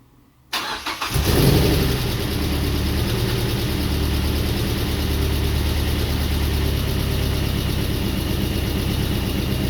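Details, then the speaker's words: Mazda NC Miata with 2.5 engine swap, first start after cleaning gummed, clogged injectors that had caused the no-start: quick crank, catches at once, brief rev flare, then an even, steady idle with no misses or knocks. "So our main issue did end up being these fuel injectors. These are the 2.5 ones, and I guess they are all just gummed up and clogged up, and that's why we weren't getting any fuel into the engine. Otherwise, everything sounds good, run"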